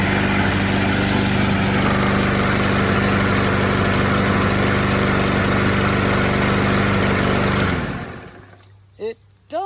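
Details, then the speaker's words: Lawnmower: small engine holds a fairly steady idle with a slightly uneven beat before shutting down near eight seconds; running a little rough. "sound a little rough I was just about to roll it into the back"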